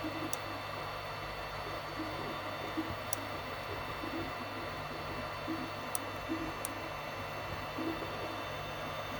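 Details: 3D printer extruder making sharp, irregular ominous clicks over the steady motor hum, about five in fourteen seconds; cause unknown.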